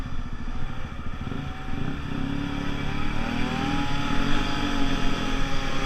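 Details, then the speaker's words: Piaggio Pulse Force 50cc two-stroke scooter test ride after fuel-starvation fix, panels off: pulls cleanly through the revs with steady buzz, no bogging or cutting out, reaching 37 and still picking up; running healthy. "Okay guys, that was a really great test run. The bike itself feels not the most solid, but I guess it's got no panels on, seats loose and everything."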